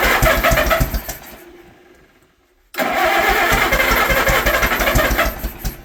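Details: Old Allis Chalmers tractor, barn find stored about 20 years, with the original crank start, on its first start after the motor was cleaned out and given little fuel; chugs unevenly and fades, then refires with a sharp bang and ragged beats; backfire on starting.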